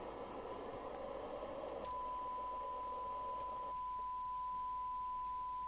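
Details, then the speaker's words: Midland 3001 27/81 UK FM CB radio after service alignment, receive with open squelch and no signal: even hiss, then a steady tone; sounds like a proper FM receiver, with 0.61 µV sensitivity for 12 dB SINAD. "Let's see what it sounds like with no signal. Well, it now sounds like an FM receiver, doesn't it?"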